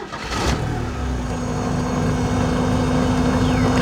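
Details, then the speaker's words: Porsche 944 firing up: engine catches and settles to a slightly uneven idle rumble, smooth when revved; owner suspects worn motor mounts, not confirmed. "Runs really nicely. If you can hear, it does rumble a little bit on the idle."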